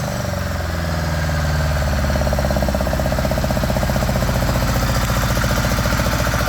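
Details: 1975 Honda GL1000 Gold Wing flat-four, cold start after water pump re-seal (previous start leaked coolant at weep hole): catches quickly, smooth even idle slightly fast on choke, no ticks or knocks; no leaking, much less smoke.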